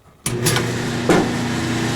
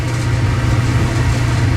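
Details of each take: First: Dryer set to dry after clothes stayed wet: motor starts with a thump and settles into a steady electric hum with no drum tumble or thumps, the drum belt has snapped. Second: Clothes dryer running with door open while the heating element glows cherry red then cuts off, owner suspects element or thermostat: smooth, constant deep hum with no knocking or belt squeal; motor and drum run evenly.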